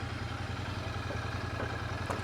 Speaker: Yeah, ticking over